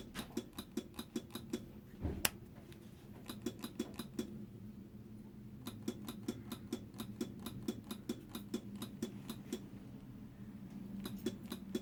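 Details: Honda NSR motorcycle won't start on the electric button but bump-starts first time; rectifier already replaced without fixing it: rapid, fairly even light clicking about three per second with no cranking.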